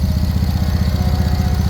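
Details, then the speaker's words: 2014 Ford Edge AWD with 226,000 miles and a replacement transmission of about 97k miles, started right up in the morning: an even, steady idle with a smooth low hum and no knocks or ticks. Normal idle. "but the motor sounds like it's doing what it's supposed to be doing started right up this morning"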